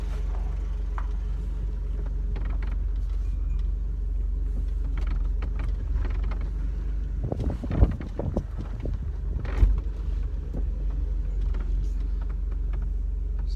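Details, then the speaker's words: 1999 Mercedes R170 SLK test drive after new rear discs and pads and handbrake adjustment: low even road rumble, odd clunk over bumps, no rear brake rubbing; earlier rubbing suspected from bad handbrake adjustment is gone. "good before you could hear the rubbing and i suspect that was because of the bad adjustment of the handbrake"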